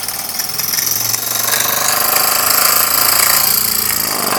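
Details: Jensen #5 live steam engine, warmed up and building pressure, condensate in the pipe: rapid, even chuffing about four beats a second over a hiss of steam, no stumbles; normal running.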